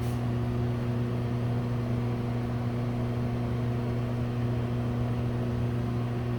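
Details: Broan exhaust fan at a Subway restaurant. Loud, steady, constant-pitch low hum with no speed change; the fan motor drones heavily throughout. Exhaust fan motor hum.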